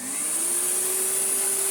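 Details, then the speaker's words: Karcher VC3600 commercial cylinder vacuum cleaner switched on: smooth high motor whir climbing quickly to steady pitch with strong airflow hiss; running normally with good suction, hose fitted back. "And they work! Oh, there's such good suction. Wow!"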